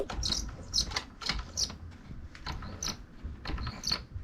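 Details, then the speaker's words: Sur-Ron electric bike drive belt: sharp, high chirping squeaks repeat about twice a second over a low rumble from a dry belt. The fix shown is applying deodorant to the belt, and a belt that is too tight may need loosening. "today I wanted to show you guys this neat little trick to get rid of that little Annoying belt sound that the Sauron makes"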